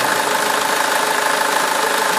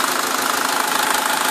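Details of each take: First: SsangYong Kyron diesel first start after an oil change with flush and a new filter: loud, rapid clatter at about two to three beats a second; abnormal start-up noise, brief oil starvation suspected while the new filter filled. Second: 2009 SsangYong Kyron restyling diesel, hot engine idling on flushing oil during an oil change, no revving: even, steady diesel clatter with a smooth, unchanging rhythm; runs very quietly and smoothly, healthy normal idle.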